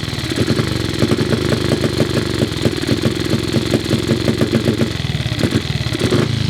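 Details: Cub single-cylinder motorcycle at start-up: lumpy beat that stumbles and won't settle into steady idle; carburettor idle screw seems too short to raise the slide enough.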